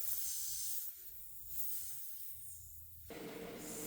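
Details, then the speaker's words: 1957 Ford Fairlane flat tire, jacked up, inflated from 10 toward 30 psi; thin steady high hiss fading and returning from a hole in the tire: air leak from tire puncture. "Hope it doesn't explode in my face. Hear it. There's a hole here."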